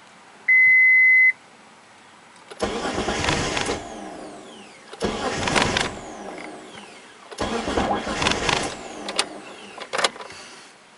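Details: Mitsubishi 3000GT no-start, after new starter and battery: short beep, then three cranking bursts of about a second each; engine spins freely but never catches; crank no start.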